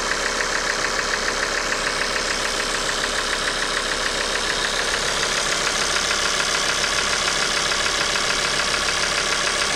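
Steady idle with a sharp, regular clatter around two knocks per second, pointing to oil starvation from a dead oil pump.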